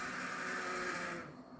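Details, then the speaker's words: Cheap untested HO-scale locomotive bought at a train show, running on track. The small motor whirs with a harsh, gritty, high-pitched grind in forward and reverse, then stops. The drive is grinding for an unknown reason and needs disassembly. "all right let's turn that off that's a god-awful sound right there all right so that definitely needs to be taken apart and looked at"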